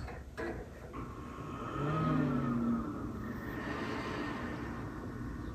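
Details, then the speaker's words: Air-cooled dual 2.7 GHz Power Mac G5 after swapping in the suspected good CPU: fans surge briefly then settle to a quiet, even rush, no startup chime and no earlier humming noise; it boots. Normal boot. "hey that's a good sign i think hey it didn't bong but it's it's booting so it's a start"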